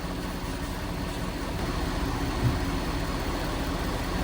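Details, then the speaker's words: Diesel at idle: steady, even idle as the cooling fan kicks on higher and roars harder, with no knocks or surging. Pressures drop slightly and the reading holds at 225; normal idle. "I can hear the fan changing. Yeah, it just kicked on a little higher."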